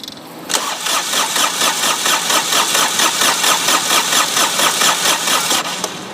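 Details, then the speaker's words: Dixie Chopper XWD 2600 diesel mower, about 1,700 hours, ran out of fuel: starter spins in steady churn about two compression beats a second, never fires; air in fuel lines, bleeding by loosening injector lines. "Okay, so I need to go ahead and loosen that a little more because you want that fuel to be gushing out of there pretty good."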